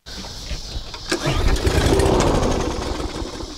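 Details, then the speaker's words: Yard Force EX675 163cc push mower, a little gas poured into the carb: after the pull it catches, runs about two seconds then dies, running on prime only; carb needs cleaning or replacement. "so the fact it does that means it needs a carb cleaning and or a new carb depending on model you can always clean every car but sometimes it's cheaper and easier to go with new new carb"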